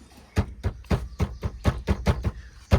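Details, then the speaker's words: Maruti Swift with a dashboard rattle heard while driving: irregular hollow knocks and taps, about three per second, over low road rumble; loose small items in the glove box rattling, like something loose. "ये देखिए कैसी आवाज़ आ रही है, मतलब ऐसे जैसे कुछ लूज़ होता है।"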